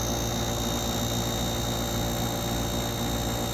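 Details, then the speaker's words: Soleus Air (Gree) dehumidifier, eight or nine years old, after replacing the failed relay that kept the compressor on: constant low compressor hum with steady fan whoosh, no clicking or labouring; runs normally after repair. "it's working I don't see any Sparks compressors working the fan the fans blowing"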